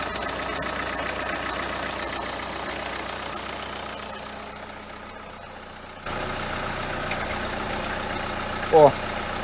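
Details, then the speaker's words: Renault Kangoo 2 1.5 dCi diesel at idle: a dry metallic rattle with odd chirps, loudest at the alternator. The overrunning pulley clutch no longer freewheels and has very large play, so it is worn and needs replacing. "Вона то повинна працювати, типу, в одну сторону крутитись муфта, ось, заціплятись, а в другу сторону, типу, от, проскальзувати, але вона вже ось так от. Ось сюди в неї дуже великий люфт."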